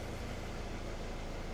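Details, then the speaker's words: 2003 Nissan X-Trail 2.2 dCi (T30) with fault code P0120: the diesel holds a flat idle and doesn't rev when the pedal is pressed. A faulty accelerator switch circuit is suspected, with the body control not supplying enough voltage. "I can press the pedal, no response."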